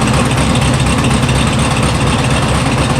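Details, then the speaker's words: 1974 VW Super Beetle at base timing 10° with new electronic ignition. Loud, lumpy, uneven idle: the carburetors are badly unsynchronized, about 20 on the driver's side versus 7.5 on the passenger side, so one side carries the idle. "you can see it runs slightly better not great um pulling pulling it they're way off uh I'm almost 20 on driver's side and about 7 and a half on the passenger so she she's idling off this side basically"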